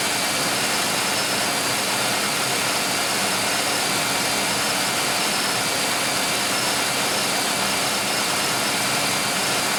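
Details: 1995 Oldsmobile 3800 V6 with 138,000 miles, first start after timing chain and timing cover leak service with fresh oil and coolant, cooling system still bleeding: steady, even idle, soft hum and airy fan hiss, no knocks or ticks; normal idle.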